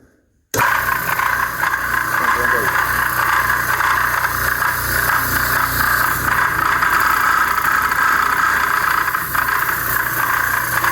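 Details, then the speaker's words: Used direct-drive air compressor under load while pressurizing: loud, harsh mechanical clatter that grows with load. The diaphragm is fine; the cause is a loose counterweight on the eccentric shaft. "quanto mais carga eu der no compressor mais barulho ele faz"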